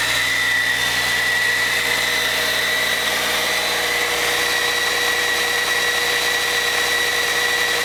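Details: Caterpillar C13 diesel on its first run after overhaul: constant idle with a steady whistle on top, even and unchanging throughout, with no knocking or rattles. A healthy idle.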